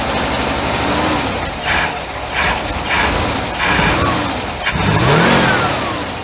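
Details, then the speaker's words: International truck with choke propped open runs rough, surging and stumbling, nearly stalling and no longer smoking; flooding found afterwards, with gas dripping and the carburettor float suspected of hanging. "well it won't even stay running now with the choke open but it ain't smoking like it was but it's still running pretty dog"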